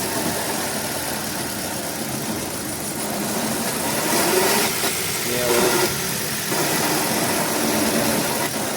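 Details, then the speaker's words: Hyundai i20 at idle with clutch pedal pressed: a thin whirring chirp over the engine hum from a broken clutch release bearing; gearbox removed and bearing replaced, fixing the noise. "अभी इसका gear box नीचे ले रहे हैं हमारे इससे ये है अपना क्लच के बेरिंग का आवाज़ है"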